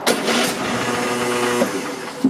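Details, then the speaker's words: Nearly new, barely used Cub Cadet XT-1 with a Kohler 7000 series 22 HP V-twin and fresh gas: cold, the starter spins evenly about 1.5 s but it never catches. No-start traced to the choke not being fully engaged. "that's pretty much what you'll get so it's just gonna stop keep trying and maybe it'll eventually start but a brand new machine you know it shouldn't be doing this"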